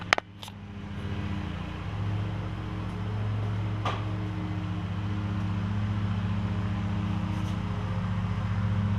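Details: John Deere LX172 with Kawasaki FC420V, previously backfiring loudly on start, after replacing ignition coil, igniter and spark plug: couple of clicks then steady even low drone, no pops or backfires; running healthy, still needs air filter.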